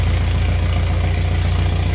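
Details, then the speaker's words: BMW, first start after an engine rebuild: it started right off and settles into a steady, even idle with a smooth low pulse and no tapping or knocking; the engine and bottom end sound healthy. "all right car started right off uh that was probably the best first start I've ever had that one uh was pretty quick I everything sounds good engine sounds good"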